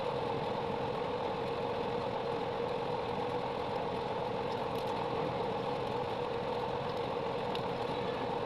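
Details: 3.0 kVA generator after full engine rebuild with new piston and rings: a smooth, even hum at constant speed with no knock, misfire or rattle; running healthy.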